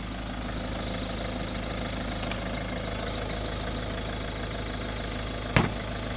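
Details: Ford Focus 1.6 TDCi diesel at idle: a steady, fast, hard ticking knock over the clatter with a faint high whistle; abnormal engine noise, cause unknown.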